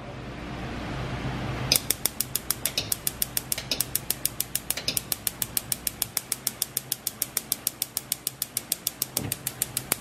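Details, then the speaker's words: Gas stove that had a very low flame, after the burner orifice was cleared with a fine needle: crisp, even igniter clicks about three per second over a soft gas hiss, then all burners light normally. "y listo ya tenemos encendido todos los quemadores"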